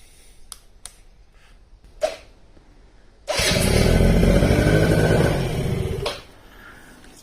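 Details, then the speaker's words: Quadzilla Buzz 50 quad, two-stroke, sat over five years, newly fitted loom, switches and parts from a donor, cold start: brief buzzy run of about three seconds then dies away; nothing abnormal, normal cold start. "just cold. Don't know what this switch is for. I have to have a look when I take the plastics off. But that's it running anyway."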